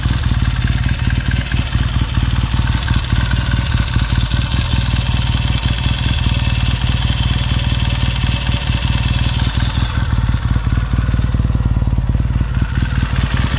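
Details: 1969 Triumph T100C after rebuild, started cold on one kick: strong, even low thump of the parallel twin warming up, a few throttle blips settling straight back; normal, healthy, crisp warm-up idle.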